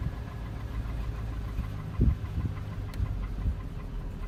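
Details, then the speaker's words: 2001 Chevy Silverado Z71 1500 4.8 V8, cold start at 36°F: deep, uneven rumble with lumpy surges, normal once warm; ongoing about six weeks, cause unknown. "I've been having problems on a coach start where it has a like a rough idle I guess usually does it every time I started to code after that yeah when it warms up it goes back to normal"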